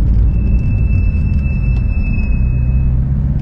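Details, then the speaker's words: 2012 Porsche 911 (991.1) braking on road: thin, steady high squeal over road rumble, no wear light; front pads recently replaced, owner suspects unevenly worn rear pads, sensor pad fine, other low; replacing pads solved it. "that brake squeal there i know there's brake wear sensors on the rear pads but what i suspect is happening i think there's only a sensor on one of the two pads um and i would guess that maybe the pad with the sensor is still okay and the pad without it is really low"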